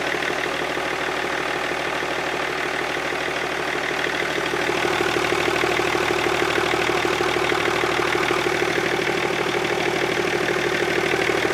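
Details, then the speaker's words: BMW E39 525d M57 diesel, first restart after fitting 530d bi-turbo valve cover and reinstalling injectors: catches and settles into steady, even idle clatter with no misses or knocks; runs clean after reassembly. "bon déjà ça tourne bah écoutez ça a été dense pour moi"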